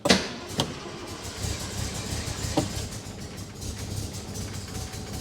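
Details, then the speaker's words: 1962 Rover P4 in freezing wet weather after ignition timing moved slightly: cranks and fires in sharp bursts, then rough uneven mutter that never settles, running on about three cylinders; crank no start. "Come on, baby. Come on. Why aren't you starting? Come on. You're there. Oh, she's there. She just won't take."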